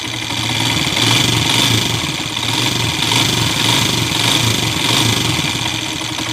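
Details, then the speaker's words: Honda TMX155 single idling with loud uneven clatter after timing gear replaced; noise persists, worn connecting rod suspected. "oh napakaingay pa rin mga kaabo yan"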